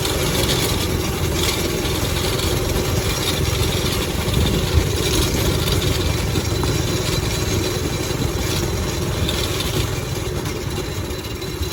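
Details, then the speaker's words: NASCAR-bodied go-kart, 5.5 hp Briggs and Stratton single-cylinder, after reattaching loose throttle cable, warming up: steady even idle, low constant thrum, no misses or knocks; normal idle after fix. "Well, we have throttle response. At least I think we did. Oh yeah, we are freaking gorgeous now."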